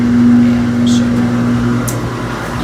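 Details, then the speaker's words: GE top-load washer after raising the right-hand adjustment screw and refitting the springs to cure the loud grinding, lid shut; even, steady motor hum with no grinding or scraping; normal running after fix. "here is the sound with the dryer shut [Music] so far i don't hear any grinding"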